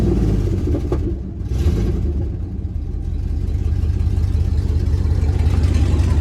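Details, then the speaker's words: 1999 Dodge Dakota R/T 5.9 V8; loud raw blatting rumble swelling when revved, nothing exiting the tailpipe, exhaust escaping underneath where the system is gone; driven like that for a while. "and as you can hear it don't come out of here at all this bad boy is just sitting there eventually i want to get all that fixed up down here as you can see she is gone but she still sounds good"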